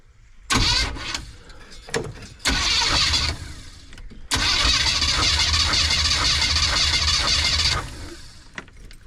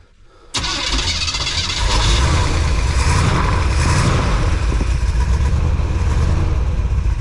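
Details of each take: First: Compression test on the van's cylinder 1, plug out, ignition wire pulled from the distributor so it can't fire, throttle held open: long, even cranking whirr with no firing, reading about 130 PSI; normal cranking, good compression. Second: Van cranked after fitting a brand-new carburetor and redoing the whole ignition system, with a little gas poured into the carb and a doubtful battery: the starter grinds over evenly at about four compression pulses a second with no firing. Cranks but won't start.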